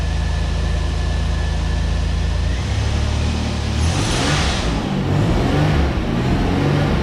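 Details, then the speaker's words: 1989 Pontiac Firebird 2.8 engine after fuel pump replacement, rusty tank: low petrol idle, rough at first, settling into an even, smooth beat with no misses; normal idle. "Actually, I don't think it sounds bad at all. It's actually running really well."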